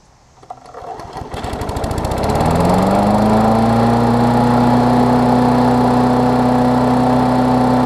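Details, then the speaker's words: Briggs Classic engine on a Bolens push-mower deck with what is probably a Murray blade, after fitting the diaphragm and 10-15 minutes of running; the mower hadn't run in a while and threw some sparks: catches, rises smoothly, settles into a steady, even drone, no misses or vibration; healthy. "but runs great i've ran it probably good 10-15 minutes since i've put the engine on there and put the diaphragm and stuff on there it seems to be fine which is good"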